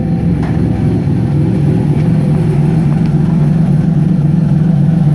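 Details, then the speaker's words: 1999 Nissan Frontier turbo on an aftermarket ECU, which once broke up around 1400 rpm from crank/cam signal errors, fixed by setting trigger and home filters to 0: a deep, even roar under throttle, no stumble or misfire; healthy. "I don't know if you were able to hear the turbo on that, but again."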